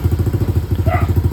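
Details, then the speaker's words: Engine idling smoothly and quietly after repair, steady even low thumping with no clatter or misfire; only a slight exhaust leak remains because the exhaust pipe has just one bolt, its other stud bolt missing. "Dito nakangiti na si bossing at tahimik na yung kanyang makina."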